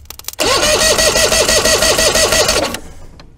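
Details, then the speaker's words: Force 120 hp two-stroke outboard, unrun for years, cranked via starter solenoid jumper during compression test; top cylinder reads 135 psi. Even cranking about five pulses a second, each compression stroke equally strong; healthy. "okay that works out 135 psi for a two-stroke that hasn't run in a number of years that's not bad"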